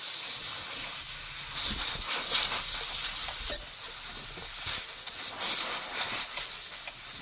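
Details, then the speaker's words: Truck air system deliberately bled down before undoing the supply pipe to re-pipe the diff-lock feed under the dashboard: continuous sharp hiss of compressed air fading slightly as it drains; intentional venting, not a leak. "Here we go. Right. So, that's all the air evacuated out of the system."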